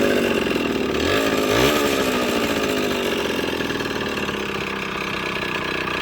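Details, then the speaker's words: Yamaha GT80 (KE102) two-stroke during a build, with a tach drive and clear oil lines from tank to intake: small blips, then a steady, buzzy, even idle with no misses, sounding healthy. "there she sits, guys. Sounds pretty good."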